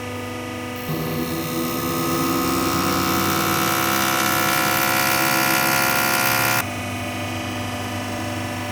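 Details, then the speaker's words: Toyota Hilux diesel injector on a test bench after replacing the worn valve seat (complaint: hard starting): pre-injection test, steady rapid ticking near four per second over a whirring pump and hissy spray; injector firing evenly, normal. "Nah jadi ini kita akan cek Sekarang untuk posisi pre injeksinya ya teman-teman"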